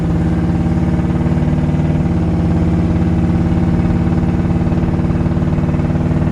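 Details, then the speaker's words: 1973 Chevrolet Camaro, 350 V8 with brand-new starter, driving: steady even rumble, soft dip near two seconds like a clean upshift, no slips or clunks; transmission shifts perfectly, normal running. "Transmission shifts out perfectly."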